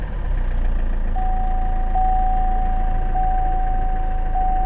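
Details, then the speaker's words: 2014 Chevrolet Cruze diesel, automatic, heard from the cabin with the door open at start-up: low, even idle with a faint soft "rah-rah" clatter under a repeating door chime; smooth, healthy diesel, insulated from the cabin. "So you can probably hear that little faint rah, rah, rah, rah, rah, rah, like a diesel engine. But when you close the door, there's really no diesel engine."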